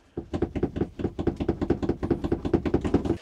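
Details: Mobilvetta motorhome at 1,512 miles; quick irregular hand-shaken clatter, roughly a dozen light knocks in three seconds, from a loose bathroom fitting rattling in its mounting; finding: loose fitting rattle.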